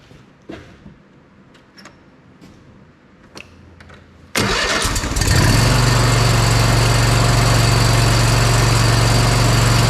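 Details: Bad Boy Maverick zero-turn mower, Kohler Confidant V-twin, previously losing spark on one cylinder, after ignition coil replaced: a few quiet knocks, then catches and settles into a steady, even idle with no stumble or miss; normal idle, coil likely the issue.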